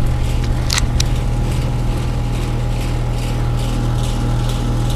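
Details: Fairly new high-efficiency XP5 heat pump after reversing valve replacement, charged to 4° subcooling: loud steady compressor drone, even fan rush, faint panel buzz from shroud vibration; runs normally.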